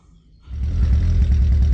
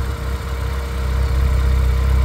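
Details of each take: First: 2009 RenaultSport Twingo RS 133 with a worsening misfire, still present after new ignition coils and a new fuel pump: lumpy, uneven idle with dropped pulses and multiple misfire codes, spark plugs suspected. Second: 2009 Renaultsport Twingo RS 133 with a worsening misfire; new coils didn't help. With temporary Bosch plugs fitted, once off warm-up it holds a smooth, steady idle with no stumble. Normal idle, clearly better than before.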